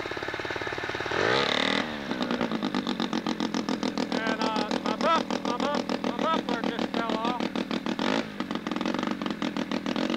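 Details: Sachs Wankel 303 rotary with a 1000cc Mikuni carb, points ignition, 30:1 premix, and muffler removed, cranked at idle because it has no reed valves. It catches quickly into a raw, even, popping idle and sounds healthy.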